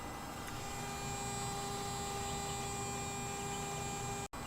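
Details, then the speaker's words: Car with engine and ignition off yet lights staying on, fairly new battery: steady high-pitched whine holding one pitch, something electrical drawing power; source unconfirmed. "I also hear this like I'm not sure you guys can hear the camera but this e sound 's like something is drawing the power not too sure where it's coming from somewhere over here is where I'm hearing that screeching sound"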